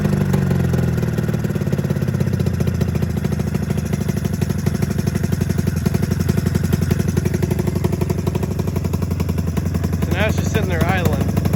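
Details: 27-year-old Mountain Cat snowmobile two-stroke, coil replaced: uneven, lumpy beat with irregular firing, seemingly one cylinder only; owner suspects fuel delivery, not drawing fuel or carburettor floats sticking.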